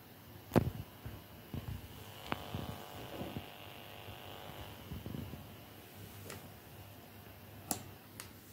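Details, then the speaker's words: FrSky Taranis Plus radio with TBS Crossfire TX module, after adding ferrite core filters: only a faint thin residual buzz from the speaker under handling clicks and taps, buzzing largely cured. "and here is the noise with the filters"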